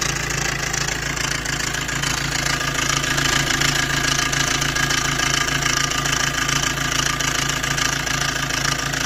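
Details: Maruti Dzire at idle, heard near the engine: loud, fast metallic rattle steady over the idle with a bright clatter on top, from a worn timing chain set due for replacement.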